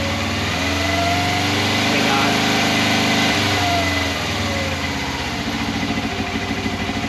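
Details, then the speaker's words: 1989 Suzuki GS500E twin after new plugs and air filter, cold start after a week unused at about -5 °C, choke just taken off: steady even idle with firm regular beat, both cylinders firing; normal idle. "Fired up pretty easily. You can hear it starting to warm up."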